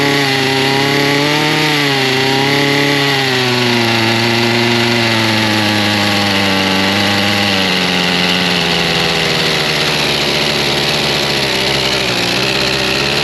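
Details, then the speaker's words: Chainsaw restarted after being choked out with choke set half off; the high two-stroke buzz drops from a rev to a steady, even idle that holds without hunting or dying, a good idle. "Good kill. So, that's good. It's got a good idle to it. I think she's going to be all right."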